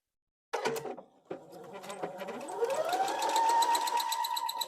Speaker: I can hear that squeaking it just started that it had stopped and started again